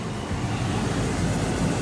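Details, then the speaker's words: Holden Monaro (VT-VX Commodore climate control) blower fan, which had given no airflow on hot or cold, working after a wreckers part was fitted. A steady, even rush of air from the vents with no tick, squeal or rattle; normal blower operation. "How great is that? A $15 wreckers part fixes all the climate control in my Monaro."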